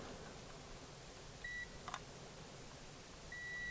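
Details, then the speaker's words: 1999 Toyota Tacoma with random misfire and P0305: quiet room, then two clean high multimeter continuity beeps on a good injector, winding intact. "Do a continuity test there. We can also add sound to it."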